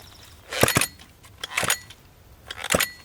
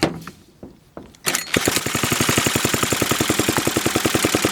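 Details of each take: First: Homelite XL-101 chainsaw, examined with recoil partly reassembled; three slow hand pulls, each giving a couple of firm puffs against resistance; compression sounds good, though the sticky recoil still isn't rewinding. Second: Homelite XL-101 chainsaw, choke and throttle open, gas squirted into carburetor, pulled over: fast, even mechanical chatter for about five seconds then stops without firing; cranks but won't start.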